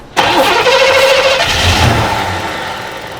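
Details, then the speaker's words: Chevrolet Monte Carlo SS parked 20 years, cranked with starting fluid while fed from a fresh gas can to the fuel pump: quick crank, catches and revs briefly then fades; spark confirmed, fuel supply fault. "that's good sign so it's got spark so is it sucking fresh fuel out of a a can right now"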